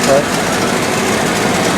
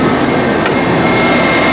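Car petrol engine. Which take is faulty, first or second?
first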